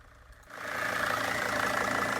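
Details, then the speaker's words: T1N Freightliner Sprinter 3500 diesel with what is believed to be a factory-remanufactured engine, idling with an air leak: a steady high whine holds over the idle, from the power steering pump with its fluid level very low. "the strange whining sound you're hearing is the power steering pump the level was very low"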